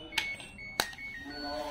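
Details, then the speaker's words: LG Smart Inverter washing machine control module, power indicator on but no display: the buzzer gives only thin, faint beeps when buttons are pressed; display board lacking supply voltage. "nah begitu teman-teman untuk display tidak ada tampilan tapi untuk bip-nya itu terdengar lirih atau terdengar pelan ya"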